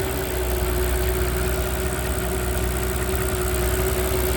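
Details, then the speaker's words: Mercedes CL65 AMG twin-turbo M275 V12, warm idle after new plugs, coil pack and V-coil transformer fixed a misfire: smooth, quiet, steady hum with a faint accessory whine. The ticking heard at first start faded and was gone after a short warm-up. Normal idle. "It runs smooth. The only noise is some kind of auxiliary noise. No horrible surprise, no instant panic, just a smooth, quiet V12."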